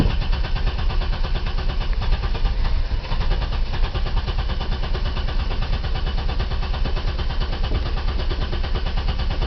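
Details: 1990 BMW E34 520i, M20B20, LPG/petrol conversion, engine cold: it barely starts on petrol and chugs and stumbles irregularly, struggling to hold speed. The owner suspects the fuel pump; the fuel gauge doesn't work.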